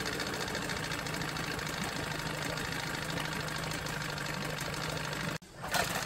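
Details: Johnson 9.9 outboard after carburetor rebuild and new spark plugs: light, quick, even ticking putter at steady idle with no surging before cutting off; running properly, normal idle.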